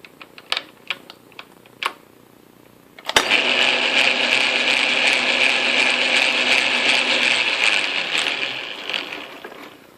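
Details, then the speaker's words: Atlas Craftsman lathe after tumbler shim install, started in neutral, forward, then reverse: rough gritty grumble with faint rhythmic churn through gears; owner suspects too little lash somewhere. "still feels a little grumbly like I got something without enough play in it without enough lash that sound is right there"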